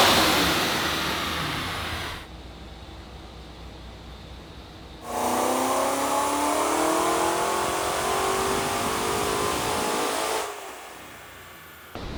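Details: Supercharged C5 Corvette Z06, revived after over three years in storage, dyno pull: clean rising pitch climbing smoothly, no knock or misfire, then settling; oil pressure about 10 psi; healthy running under load.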